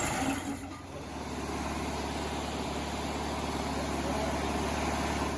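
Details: 1968 VW Bus air-cooled flat-four after rebuild, valves/rockers adjusted and distributor set to cure earlier clacking: quiet, steady idle with even soft chuff, no clacking or popping; running smoothly.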